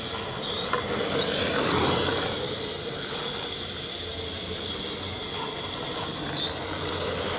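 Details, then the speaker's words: RC drift car: a buzzy rattle and high whine swing in pitch when the wheels are steered to full lock; vibration at full lock, cause not traced. "Tiens, tu entends la vibration là. Quand je braque à fond."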